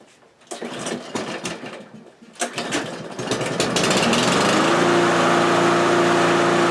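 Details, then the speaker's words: Kohler-engined lawnmower before its carburetor is changed: a few pulls, then it fires and holds a steady, even high-pitched drone with no misses or surging; it runs perfectly fine. "okay so the lawnmower runs perfectly fine"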